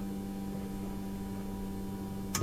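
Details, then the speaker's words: Nissan 240SX S13 with RB20DET, new 255 LPH fuel pump on a relay, tested by grounding the trigger wire: steady low electric pump hum, then a sharp relay click; normal fuel pump operation. "The fuel pump activates. You can hear the relay clicking."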